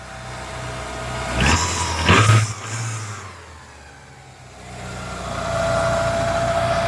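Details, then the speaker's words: Ford Capri XR2 four-cylinder after blown head gasket repair, timing not yet checked: two sharp throttle blips settling smoothly back to idle; now firing on all 4 cylinders instead of 3, no shaking. "Now that it's actually running on 4 cylinders, unlike before that it was just on 3, but yeah, you can just hear the difference. You can see it because it's not shaking."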